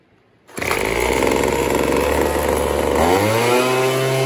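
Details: Craftsman 25cc two-stroke blower that bogged when the trigger was squeezed, heard after turning the D-shaped carb adjuster counterclockwise: it snaps up cleanly from fast idle and holds a steady high-pitched scream with no stumble or bog; normal high revving.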